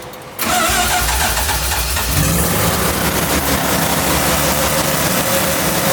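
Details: Kei truck's rebuilt Mazda 13B rotary after blown center-rotor apex seal, in neutral while timing and distributor are being sorted: catches within half a second, steady even running, no misfire or knock; normal running.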